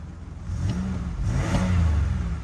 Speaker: Oh yeah, guys, it just sounds like the 3.8 to the 3800 series.